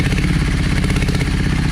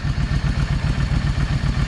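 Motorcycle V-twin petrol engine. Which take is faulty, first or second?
first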